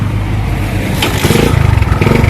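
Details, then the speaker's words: Motorcycle that was cutting out and backfiring, now with replacement regulator, running without battery: deep, even exhaust pulse with a quick rev blip, no misses or popping; normal running after repair. "Okay yan niyo naandar na yung unit natin wala tayong battery"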